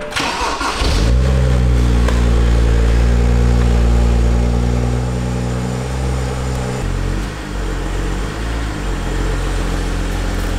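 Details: 2012 BMW 135i E82 N55, totaled auction car rebuilt with aluminum radiator and upgraded intercooler, before its first drive: the engine cranks, catches quickly and flares, then drops to a steady, even idle with no misses, knocks or rattles; normal start and idle.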